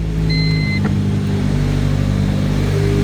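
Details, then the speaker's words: Honda D16Y7 just after timing belt replacement: smooth, even idle with a steady hum and no ticking, knocking or whine; engine running healthy. "no weird noises purring like a kitten sorry I'm a nerd"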